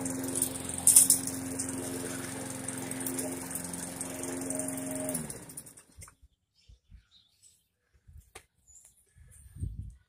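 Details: Briggs & Stratton 450e series mower that ran then died, after carburetor replacement: single-cylinder engine runs steady and even about five seconds, then shuts off cleanly; healthy, no surging.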